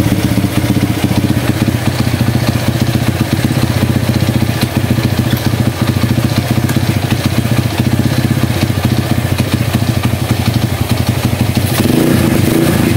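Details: Honda CB100 single-cylinder, years unused, idling in gear after fixing sticking clutch plates that caused stalling on gear engagement; steady even putter, crisp regular firing, no stumbling.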